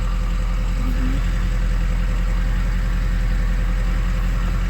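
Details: 2003 Ford 6.0 Powerstroke diesel with a weak FICM (44–48 V) and earlier misfire, oil 70 degrees: deep even idle with steady low drone and no skips at this moment; weak boost and VGT bouncing noted, FICM on order.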